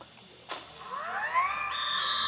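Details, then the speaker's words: DJI Air 3 drone after core board repair, paired with remote and no errors: motors whir up smoothly to a steady whine spinning the propellers, no scraping or stutter; normal. "Let's try it, it should be able to rotate the propellers."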